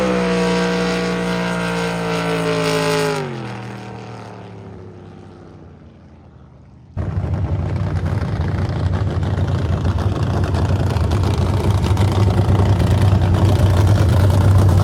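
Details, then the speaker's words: Carbon fiber jet boat with rebuilt 632ci big-block Chevy, run without launch profile: falling tone as revs drop, a lull, then a loud, even, strong full-throttle roar with no stumble; running healthy. "Dude, this sounds so much better now. She's happy."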